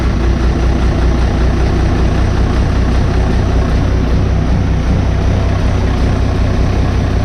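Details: Diesel 60-series ute after fitting a new 120 amp alternator and Munro parts: even, steady idle with a low regular chug and no knocks, rattles or squeals; healthy.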